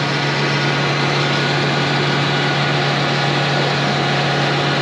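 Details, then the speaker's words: John Deere 8320R tractor, engine derated at roadside, running a parked exhaust filter cleaning: steady raised diesel drone with constant low hum, no dips, engine held at high idle to heat and clean the filter; cleaning reached 88%. "You can hear the engine start speeding up. This is the filter right here. That's the filter in the exhaust. What it's doing is it's going to heat that thing up to a really high temperature and supposedly clean it."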